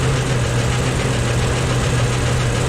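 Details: Loud rough idle with deep uneven thumping, valve cover off. Valves partly dry but moving. Owner suspects the cam, or a valve heard through a hose. Blaster tried; cause unconfirmed.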